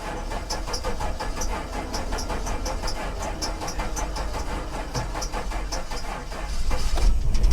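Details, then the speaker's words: Suspected flood-damaged salvage car cranked for a long time: a steady, rapid cranking beat with compression building, then it catches into a louder, rougher run before the battery dies. "it goes like I said sometimes you just got to crank it over and get it running and now the battery's dead"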